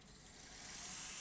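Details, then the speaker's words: Sony Betamax SL-C9 video recorder, loaded with a test tape: smooth, even high-pitched whir as tape winds quickly, no scraping, squeal or catching; normal fast forward. "well that sounds good rewind looks good"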